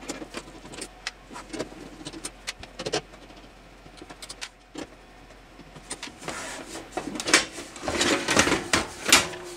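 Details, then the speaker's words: 1990s Sony SLV-595HF hi-fi 4-head VHS VCR, bought as not working, with the top off: irregular plastic clicks and motor whirs as the mechanism fails to pull the tape. Probably a busted plastic gear. "Notice it's not pulling the tape over there. Yep, that's not supposed to do that. So we got probably a plastic gear that's busted."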